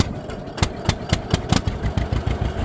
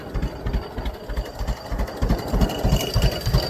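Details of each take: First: Newly bought two-cylinder tractor opening the throttle from low to high while stationary. Slow, uneven pops stagger and bunch as the throttle opens; the engine stumbles picking up from idle and doesn't like revving up quickly. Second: Newly bought two-cylinder tractor in neutral, throttled down to its lowest idle. Slow, even chug at about three beats a second, steady and unhurried; a healthy low idle.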